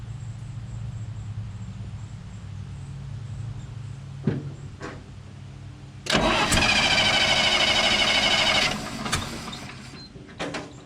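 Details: 1968 GMC C60 truck that sat unused for an unknown period and didn't run: a low hum, then cranking that catches at six seconds; it roars and runs a few seconds before falling away. Starts after storage.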